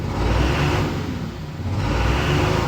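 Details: 2011 Dodge Ram 3500 6.7 Cummins revved: rough, uneven low chug from a misfire on cylinders 1 and 2. It blows white smoke on acceleration and shakes more in the morning; a scan found two bad injectors.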